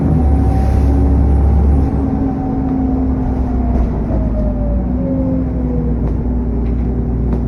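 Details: SN61 DDE E210, driving on a dead run: loud rushing cooling fan roar with a faint turbo whistle slowly dropping in pitch as it eases off.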